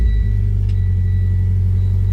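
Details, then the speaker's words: Mitsubishi Lancer Ralliart, turbo-swapped, about 14,000 miles since, after a gasket was replaced to cure a ticking/rattle and boost leak, hood open: deep, even rumble with no ticking or rattle, only normal SST transmission chatter. "lights no more rattling and uh that's what you want to hear so we have a healthy Lancer rard and just your normal SST chatter nothing crazy going on"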